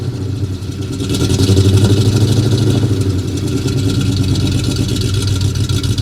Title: Got the F-250 running again, just one more exhaust leak to fix.